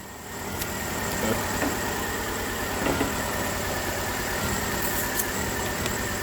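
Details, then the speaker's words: 2010 Nissan Altima 2.5 idling below 1,000 rpm: uneven idle with irregular stumble and dropped beats, misfiring at idle more than when revved; mechanic suspects ignition arcing, cylinder not yet identified. "it's really starting to miss now one thing you notice it misfires down low more of an idle than it do what's been revving up"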